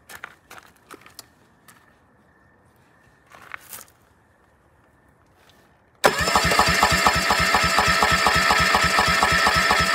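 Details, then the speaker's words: Suzuki 25 HP EFI outboard, around a 2021 model, about three years old, in a compression test on the bottom cylinder (cylinder 3) while cranking. A steady starter chug of about two beats a second; it reads 75 PSI against 150 on the others, so low compression. "whoa I only got 75 that's not good not good at all I got 150 on the other ones"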